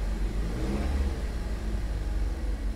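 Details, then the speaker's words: Salvage auction car: deep smooth rev rising and settling evenly, no knocks or misses; engine sounds healthy though something underneath is broken. "I mean it does move fine but obviously it broke a line or something broke under there it sounds healthy"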